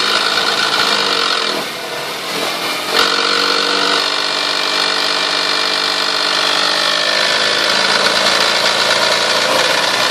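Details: 1998 Toyota Sienna petrol engine that otherwise runs great makes a harsh, buzzy rasp when revved between 2000 and 4000 rpm, rising in pitch; owner finds it sounds strongest from the manifold and beneath.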